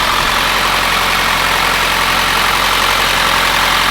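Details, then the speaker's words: Rebuilt Mitsubishi Evolution turbo four on its first start with a freshly built engine (forged pistons, upgraded rods, ACL bearings, ARP studs) and stock exhaust. It gives a smooth, quiet, even idle with a soft hiss and no knocks or ticks, sounding healthy. "But it's also very, very nice having a stock exhaust on right now because I can hear how perfect and quiet this engine is running."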